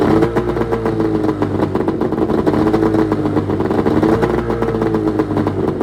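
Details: 1996 Arctic Cat ZRT 600 two-stroke snowmobile after fuel pump rebuild, cold start on tripod: steady buzz, crisp even firing, clean throttle pickup, no stumbling or sputter; normal running.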